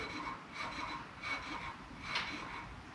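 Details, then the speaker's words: Classic Mini on a lift, wheel turned slowly by hand: a soft scraping swish each revolution as the brake pads just catch the disc without binding; normal light pad contact, the other side catching slightly less. "Kind of as they should, like they shouldn't be binding, but they should just be catching."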